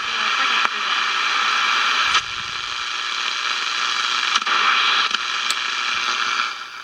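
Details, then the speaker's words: Sportmate portable radio that was completely dead, now working poorly: loud hissing static crackling and jumping with each touch of the metal parts, the person acting as an antenna; radio static interference. "See here, so I touch it, that's what messes it up. Obviously the radio is not working very well."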